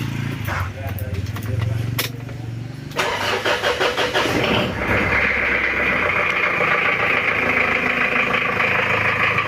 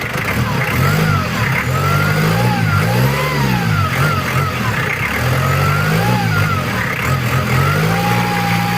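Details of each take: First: Recently overhauled Mitsubishi Challenger 4M40 diesel, weak power: a cold start catches into a coarse, uneven, lumpy clatter at idle that turns smooth when revved, with oil spraying suspected from a poor breather; rough idle from injection pump timing. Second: Mitsubishi Challenger 4M40 turbo diesel after repair for rough idle: rises and falls through several revs cleanly, even and steady with no knocks or rattles; much smoother than on arrival, normal.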